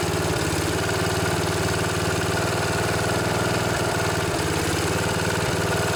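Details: Snapper SR1028 rear-engine riding mower, Briggs & Stratton flathead single, running on choke with no air filter after freeing a locked engine: small single thumps mostly steadily with brief stumbles, coughing and sputtering; owner suspects too much oil.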